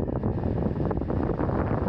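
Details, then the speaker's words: BMW E34 blower motor on an aftermarket 20A PWM speed controller replacing the resistor, knob about halfway: even rushing whoosh with no rattle, scrape or wobble, only a tiny breeze; blower running clean. "it's not until I turn it about half way that I start to hear the motor and I start to feel something right now I'm feeling a really tiny breeze"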